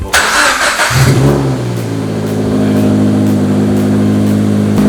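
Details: Scion FR-S/Subaru BRZ/Toyota 86 after Stage 2 clutch install and refitted exhaust/downpipe, first start: catches after short crank, flares up, settles into smooth even idle with steady drone, no knocks or rattles; normal start and rev.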